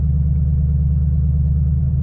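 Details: 2005-09 S197 Mustang GT 3V in neutral, first start after swapping in a six-gauge instrument cluster: deep, steady low rumble with an even beat and no ticks or knocks; V8 idles smoothly, oil pressure and charging indicators now working.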